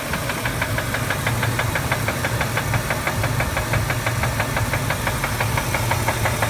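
Loud, steady knock about three times a second riding over the V8's idle, sharp and metallic on every beat: classic rod knock.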